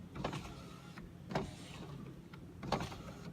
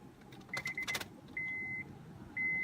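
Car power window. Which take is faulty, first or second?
first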